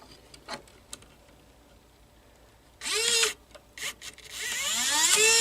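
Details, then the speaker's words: Panasonic PV-332 VHS-C camcorder opened up, run on battery to free a stuck tape: faint ticks then small loading motor whirs in bursts to a steady rising whine, unloading the tape normally. "and there we have unload then we have unloaded the tech"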